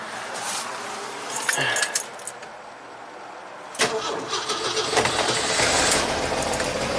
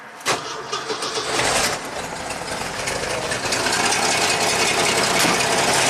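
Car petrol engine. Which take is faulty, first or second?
second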